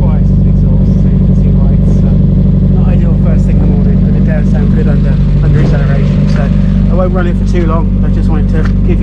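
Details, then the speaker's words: Mazda MX5 after its seized alternator, cold start: husky, throaty idle with a light quick tapping about four times a second on top. Fluid levels are okay; valvetrain tick, cause unconfirmed. "it does sound quite throaty it's a bit tappy but the levels are okay"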